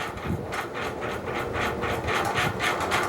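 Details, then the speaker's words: FASCO Great Room ceiling fan, c.1990, 1.2 amp motor, 56-inch blades, on high speed; fast raspy scraping swish about four times a second as something rubs on the switch housing, needing a fix; fan blade rubbing. "and now high speed some things that definitely rubbing on the switch housing that i have to fix which is why it's making that noise"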